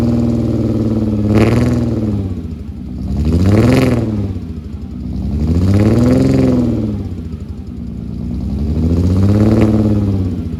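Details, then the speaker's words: Rebuilt VR6 with a new crank, rods and pistons, cold start recorded at the exhaust without coolant: revs up and settles in slow swells with an uneven, stumbling beat. Cause of the misfire unknown; the owner suspects a disconnected wire. "I've got to trace down that misfire. I don't know what that is or why that is. Maybe there's a wire disconnected somewhere."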